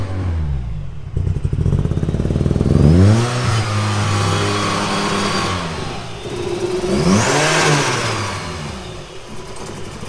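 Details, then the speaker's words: Opel Astra GSi Z20LET turbo, 500+ hp, second start, slightly warmer but still cold: lumpy misfiring and spluttering, no throttle response, wants to die off throttle; massive overfueling from a bad load map. "You can hear it misfiring, spluttering. No throttle response still."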